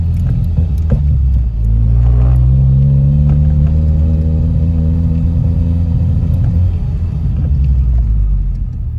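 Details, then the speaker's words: Ford Mondeo on road after breaking down returning from Santa Pod: under load revs climb then sag and stumble, hesitating and losing power, recently stalled; owner suspects fuel pump, unconfirmed. "The one that's in now, it actually stalled a minute ago when I was opening the gates, and it's just losing power the"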